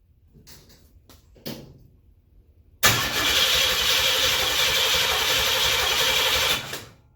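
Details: 1928 Ford Model A rat rod, oil pump primed, number one plug pulled and gapped about 0.030 in to check spark: starter spins the engine about four seconds at a steady, even rhythm with no binding; healthy cranking.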